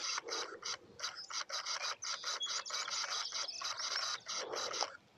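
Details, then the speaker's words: Pentax D FA 150-450 lens on a K-3 Mark III, firmware 1.02, at 450 mm f4.5: rapid stuttering ticks and chatter in uneven bursts, focus motor hunting without settling; autofocus failing to lock, owner unsure whether lens or camera is at fault. "Yep, and as you can hear, lens is just not going. And I am on the latest firmware, 1.02, so that's definitely not the issue."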